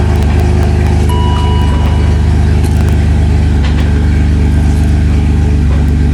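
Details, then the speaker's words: 2002 BMW 530i E39 after drive shaft replacement for a bad U-joint, running with exhaust removed: loud, deep steady drone, no clunk or knock; earlier sound gone, remaining odd sound thought to be transmission. "right I don't hear it anymore what that's fine they'd always made that weird little sound yeah I think that's actually the transmission"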